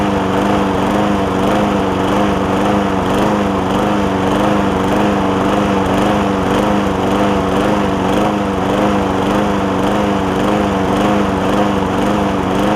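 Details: John Deere JA60 push mower after stuck-valve fix, air filter refitted: speed rising and sagging about twice a second, no steady governed note; still surging, debris in a jet or intake air leak suspected.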